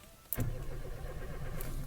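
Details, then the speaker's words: Renault Clio Alize 1.4 with Siemens 32 ECU, in neutral, clutch in, dash lights on; starter cranks steadily with an even churning rhythm but the engine never fires: crank-no-start. "so to confirm that the car cranks but doesn't start we'll switch it on there you go the good dash lights and then let's start the car"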